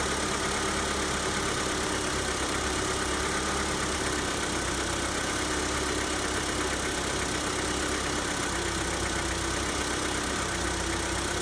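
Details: Hyundai Santa Fe G4KE engine at cold idle: steady run with a faint light ticking knock over the engine note; cold-start knock, cause unknown.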